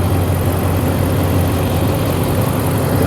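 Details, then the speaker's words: RAM 1500 gasoline truck with hard-to-turn electric steering, hood open at idle: steady smooth low rumble with no knocks, ticks or misses; engine sounds good. "this is a 1500 truck so it's not diesel this engine sounds good"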